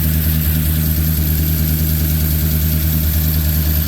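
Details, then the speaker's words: Truck with a freshly rebuilt engine, long-tube headers, cold air intake, Truck Norris cam, DOD and cat delete, not yet tuned, now with oil pressure: deep, steady idle with a mild cam lope and no ticks or knocks; running healthy. "definitely got to have it tuned but it's running got oil pressure"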